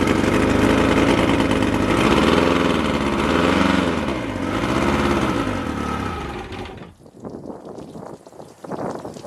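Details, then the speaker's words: Outboard boat motor with fuel tank vented, primer bulb full and hard: fires and runs rough with wavering beat for a few seconds after pumping, then dies; suspected fuel starvation. "all right so yeah every time I pump it it'll start for a few moments and then it just dies you know what I'm saying"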